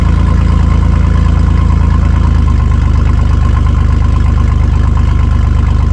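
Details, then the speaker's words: Chevy S10 mini truck, exhaust cut open between catalytic converter and muffler (only Y-pipe and cat connected), awaiting welding at a shop: loud, blatty unmuffled idle with deep even pulses, recorded early morning beside the truck. "It is really loud. So, this is kind of a bummer for the neighbors because it's really early."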